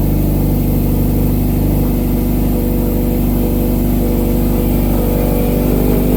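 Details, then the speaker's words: 2012 Subaru STi hatch, first start in 9 years after an engine rebuild and reinstall: it first sounds rough, with an O2 sensor left out of the exhaust, then settles to a steady, even rumble with light revving and no knocks or ticks; normal running. "That sounds good. Sounds really good. Sounds really good. That sounds good as [ __ ] Yeah, it does."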